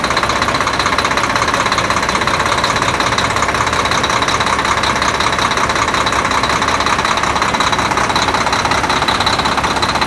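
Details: Volvo D13 diesel after replacing double idler gear in timing gear compartment, following a hard start; settles into steady idle, even rapid clatter about three beats a second, no misses or surging.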